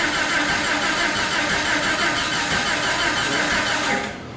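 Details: Jeep (Jurassic Jeep #73) first start-up after body-frame reassembly: starter churns steadily about three turns a second for four seconds, never fires; distributor installed 180 degrees out, spark mistimed.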